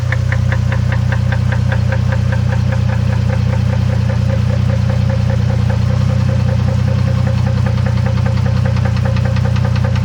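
A sharp, regular knock of about three per second rides over a steady idle the whole time; there's a knock inside the engine.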